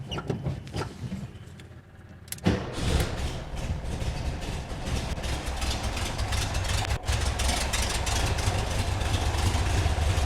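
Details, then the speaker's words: 1972 VW bus with a dieseling problem, baseline start before tune-up and timing changes: starter cranks, engine catches in about two seconds and settles into an even, healthy idle with no ticking. "fires right up it's a it's a healthy sounding engine"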